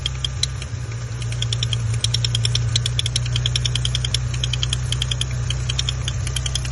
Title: Maserati Ghibli 2018 Ticking noise